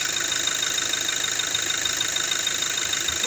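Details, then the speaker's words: 2017 Toyota Hilux diesel running in reverse/drive with the alternator connector unplugged: the crackling/clicking under load is gone, leaving a steady hum. This confirms a bad alternator pulley; the belt tensioner and idle pulley had already been replaced without fixing it. "Put it in in reverse or drive. Realize the noise is gone."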